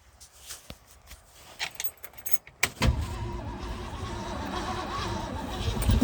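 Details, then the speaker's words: 1963 Ford Galaxie 500 convertible, 289 V8, first start in 30 years with gas poured into the carburetor; a few cranks then catches and settles into a rough rumbling run. "oops there we go it fired see if there's enough gas in there to do anything"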